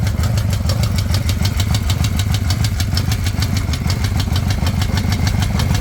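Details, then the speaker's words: 2005 Harley-Davidson Night Train V-twin, over 350,000 km on original bottom end, idling with a sharp metallic tick-rattle about three a second over a deep uneven rumble, after increasing footpeg vibration: suspected rod knock, found to be loose compensator nut, metal chunks present. "oh I might have dodged a bullet there uh maybe that uh rattling ticking sound is actually not coming from the bottom end of the engine but in fact loose compensator nut"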